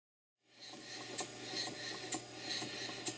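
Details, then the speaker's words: Model Mary beam engine after fitting a new taper cotter to the Watt's parallel motion, which had caused knocking: light regular ticking with a sharper click about once a second and no heavy knock; normal, healthy running. "So, as you can hear now, the engine sounds much better, much healthier all around."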